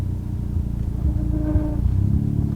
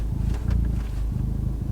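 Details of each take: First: Stage 4 Fiesta ST with new TTV Racing clutch and flywheel, pulling away in reverse with no throttle: low engine rumble with a nasal squeal rising twice when engagement is done hard or wrong; silent with correct bite. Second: Revo Stage 4 Ford Fiesta ST, about 330-350 hp, with TTV Racing clutch and flywheel package; steady low idle rumble with slight change in engine note as the clutch pedal is pressed, normal.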